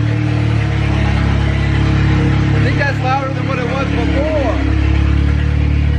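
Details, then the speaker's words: MK7 Golf R with new Trackslag 4-inch downpipe fitted, not yet welded or joined to the exhaust, at first-start idle: very loud, deep, steady, unmuffled drone, far louder than before; open exhaust at the disconnected downpipe. "that resonates so much louder than what it did before I guess because it's a bigger pipe and holy guacamole"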